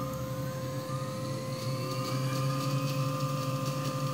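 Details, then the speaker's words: New 3HP ATC spindle for a Grizzly G0704 CNC mill driven by a Hitachi WJ200 VFD, first run, drawing about 1.3 amps, mid speed: steady hum with a clear singing tone; running smoothly. "I'll go all the way up to 12,000 rpm and that sounds pretty good I'm hearing a little bit in the bearings and my understanding is that that's normal"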